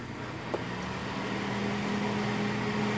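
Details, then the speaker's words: Duracraft (Honeywell) Heat Furnace Plus CZ-1200 space heater that had smoked. The fan motor's popped-off bushing retainer had left the armature crooked. After the fix, a smooth steady motor hum with a light whir and no scraping or wobble; fan spinning true. "that's all it was the retainer that held that bushing Center popped off so the armature wasn't sitting straight in the motor"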